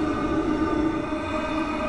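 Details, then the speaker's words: Webasto Thermo Top C fuel-burning heater on a 2004 Freelander 1 TD4, about 2.5 minutes after firing: steady even roar with a constant low hum, no surging or popping, little smoke. Burning cleanly after fuel priming and glow-plug resets. "fan speeds now building up quite a lot obviously a lot combustion going on not so much smoke which is nice"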